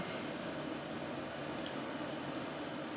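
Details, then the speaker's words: BMW E30 heater blower after greasing its squeaking bearings: a steady, even rush of air with no squeal, rattle or ticking. "bon une belle économie de fête on va voir si ça dure dans le temps maintenant mais en tout cas graissage des roulements et c'est nickel"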